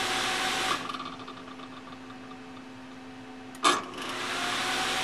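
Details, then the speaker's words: Propcycle upper fan, upgraded from rubber-mounted nylon bushings to ball bearings in aluminum: smooth airy whir with a faint light tick a few times a second; owner thinks a blade spot is just touching and might sand it out. "there's a tiny little uh little click in there that I might be able to sand out it's a spot that I think it might just be just touching"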